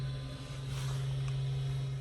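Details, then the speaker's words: Cessna 401 after fuel system cleaning, engine not run in over 15 years: steady, even low hum of the electric auxiliary fuel pump running normally. "And let's turn on the aux pump here. See if we got any fuel. I can hear the pump running."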